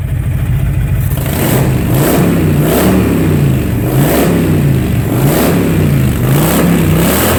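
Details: 2005 Honda VTX with Cobra slip-ons, upgraded air intake and rejetted carb (DJ200 main jet, needle slot 4), warm: throttle blips about once a second rise and fall cleanly, returning to an even idle; normal revving.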